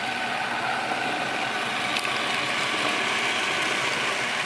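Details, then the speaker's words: Miele RX1 Scout robot vacuum after board and brush motor replacement for F4 error, floor test run: even high-pitched whirring hiss with steady brush and fan sound, no grinding or stalling; normal operation. "Alright, seems to be functioning."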